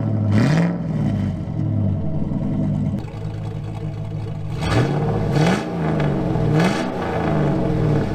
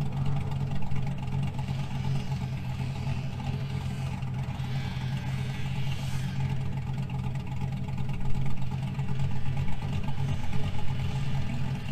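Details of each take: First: 2000 GMC Sierra 5.3 V8, Texas Speed Stage 3 cam (216/220, 112 LSA) on stock tune, fully warm past about 175-180°F; throttle blips climb then sag straight back to lumpy idle, revs dying back. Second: 2000 GMC Sierra 5.3 V8 with Texas Speed Stage 3 cam (.550/.550, 216/220, 112 LSA), back on its proper tune rather than the stock tune: deep lumpy idle holds steady, started perfectly and didn't die in gear; normal idle.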